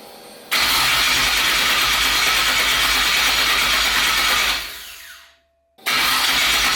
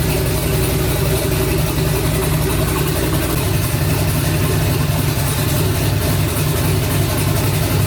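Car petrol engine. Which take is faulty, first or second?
first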